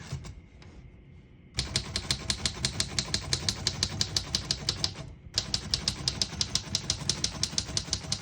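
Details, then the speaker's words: 1935 Royal O Model portable manual typewriter, right margin set around 75: crisp even keystrokes about three per second, pause, then steady typing; margin bell marks end of line. Normal typing. "Once you hear the bell, you're at the end of the margin. Hit this line space, gets you back to the beginning, and skips 1 or 2 spaces."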